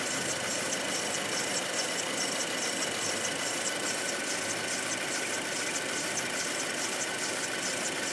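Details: Audi/VW 2.0 TFSI petrol engine: a light, sharp clacking repeats roughly once a second over a thin engine hum, uneven in timing, plus another odd noise beside it; mechanical clack of unknown origin.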